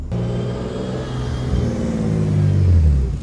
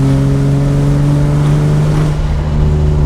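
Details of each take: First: BMW E36 M3 after head gasket and bent exhaust valve rebuild, warm during first test drive: revs drop to an even 700–800 rpm idle, temps steady, no knocks or odd noises; healthy idle. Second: E36 BMW M3 after head gasket and exhaust valve rebuild, warm, pulling in third gear around 30 mph: deep, hollow, booming exhaust drone; muffler suspected to have gone bad.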